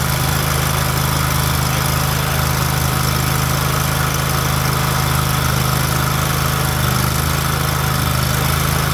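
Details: Big mower single-cylinder engine after carburetor replacement: steady, even thrum at constant speed with no misses, surging or knocks; normal running.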